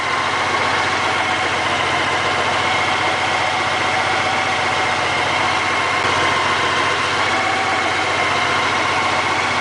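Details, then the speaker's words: Honda GL1800 Goldwing with about 40,000 miles, revived after sitting; plugs cleaned and oil flushed with solvent. Warm idle about 15 minutes in: a steady, smooth, even hum with no knocks or misses. Healthy. "No noises from the transmission. This is what a Honda Goldwing engine should sound like at 40,000 miles."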